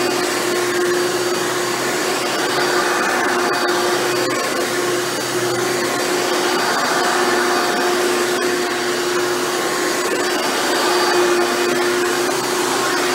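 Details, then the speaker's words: Hoover Elite upright vacuum test run after motor rebuild with new motor bearings: steady high-pitched whir, constant tone, no rumble or scraping; runs much better than when acquired. "this thing runs much better now than it did when i first got it"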